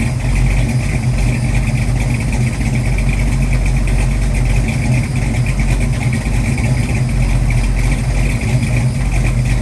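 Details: 1966 Mustang 289 built to a 331 stroker with hydraulic roller cam, first startup and tune-up, timing set at 10 degrees rising to 40 with mechanical advance; deep steady V8 rumble, even beat, no knocks or misses; normal running.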